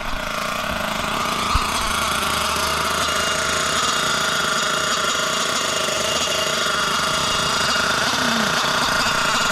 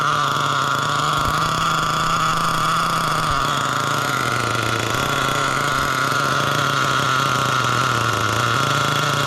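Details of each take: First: Losi LST XXL nitro RC truck, first run since purchase, initially lean on the low-end needle: steady high-pitched buzz, smooth and even after warming up and richening the needle; sounds much healthier. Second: Losi LST XXL nitro truck, barely run since purchase: engine burbles unevenly at idle, lumpy and soft, then cuts out; still running super rich, owner thinks the needle went too rich or maybe the idle gap, tuning in progress.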